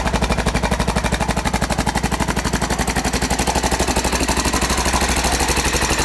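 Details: 1992 Honda XR600R single-cylinder at idle: fast regular sharp ticking about four per second over the thumping idle; timing chain noise suspected, not confirmed.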